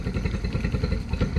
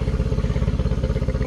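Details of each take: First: 2013 Yamaha 9.9 four-stroke outboard at about quarter throttle: uneven, lumpy low drone with irregular pulsing, no clean rhythm, boggy though it will idle; rough running. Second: 2013 Yamaha 9.9 four-stroke outboard on garden-hose flush after rough-running diagnosis: quick even putter about fifteen pulses a second, no misses or stumbles; smooth healthy idle, possibly a smidge fast.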